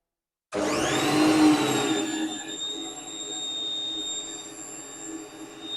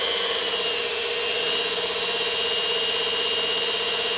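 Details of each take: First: Lathe motor, almost fully encased in foam insulation: spins up to a steady, piercing high whine, then winds down; still about 80 dB at one metre, so the foam made no difference. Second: Near-new washing-machine motor at about 1170 rpm, decibel meter about a foot away: smooth, quiet hum with a light high whir and no grinding or knocking; much quieter than the lathe motor.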